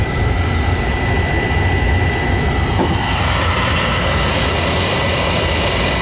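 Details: Oil burner that had been sooting and shutting down, refired after cleaning and draft adjustment, about one over the fire; steady even roar without pulsing, puffing or rumble; stable clean flame.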